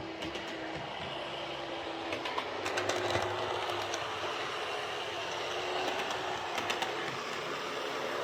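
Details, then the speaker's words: Airfix Class 31 model loco on the layout, forward, after the worm gear was tweaked to restrict armature end float: a light, even whirr with soft rail clicks. Running smoothly and quietly, much improved. "that's running really well. It's quite remarkable just how much quieter that is compared to what it was just by tweaking that worm gear just to, restrict the movement of the armature."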